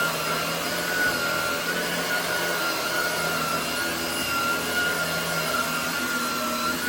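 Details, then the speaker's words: Hoover WindTunnel Air fitted with a new Shark rotator motor, replacing an old motor that sounded poor. A steady, airy rush with a clean whine holds constant pitch, with no grinding or wobble. The motor runs smooth and healthy. "I felt like it was only made sense to put a new motor in this. Yeah. Be right back and show you how this thing running. So, here's what the new motor sounds like."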